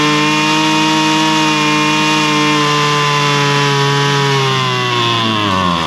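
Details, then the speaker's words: Husqvarna straight-shaft string trimmer, two-stroke, after carburetor high and low screw adjustment (likely long unused, diaphragm suspected snug); strong steady high buzz at even revs, easing down smoothly at the end. Normal running. "And I think that's really about all it's going to take. It's It's running pretty good."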